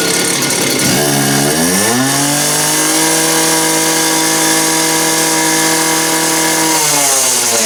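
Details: Just-rebuilt two-stroke cut-off (quick cut) saw on its test run: it picks up cleanly from low revs to a steady high scream, holds it evenly, then eases off; runs healthy.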